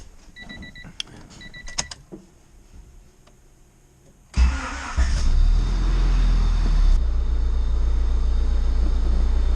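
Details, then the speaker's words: Built Honda D16 (Vitara) engine in customer EG hatch, naturally aspirated: door chimes, quick crank, then an even smooth idle with no knocks or misses; builder notes slight cam wobble and some piston slap. "man this thing is buttery smooth guys this thing runs meant"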